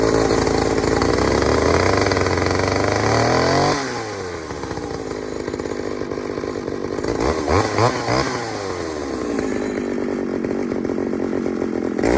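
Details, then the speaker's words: Pioneer 3270 chainsaw with a substitute carburetor, probably from a 60cc saw, safety chain, untuned: screams high then sags and surges, revs hunting while cutting; running lean, owner plans to fit a different carb. "all right so everything about that little test run tells me this all's gone lean i am not surprised"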